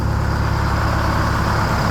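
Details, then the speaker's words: 1969 Hayes HD 6x6 with Detroit Diesel 8V71, finally running after 14 years parked: deep, even idle rumble, steady beat, no knocks or misfires; runs good — normal idle. "So yeah, runs good. Well, we finally got it running."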